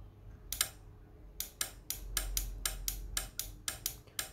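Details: Microtek inverter PCB repair, checking relay driver transistor Q6: crisp separate clicks, about a dozen in four seconds, relay pulling in and dropping out cleanly; driver confirmed fine, normal relay switching.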